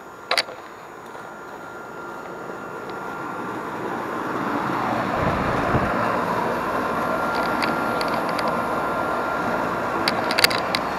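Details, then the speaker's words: AC outdoor condenser on a system that was not cooling (later found with a dirty coil and low freon): steady rushing fan with a faint constant hum underneath; the condenser fan and compressor are both running normally. "we see the we made us that the outside fan is running we can hear the compressor of going so we know it's not a issue with either the fan or the compressor"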